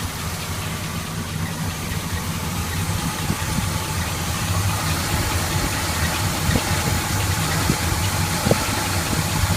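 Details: Rebuilt V8 in a 1981 Chevy K10 with about 5,000 miles, idling after replacing a leaking fuel pump with a new pump: steady low rumble with no misses or ticking, running healthy.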